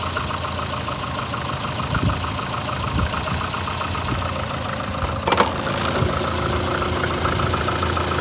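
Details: VAZ 2115 8-valve, rough idle: light uneven ticking knock about three per second over a dull rubbing hum. Began after cylinder-1 head gasket failure and fluid change; valves adjusted 3 months ago. Owner suspects worn valves; unconfirmed.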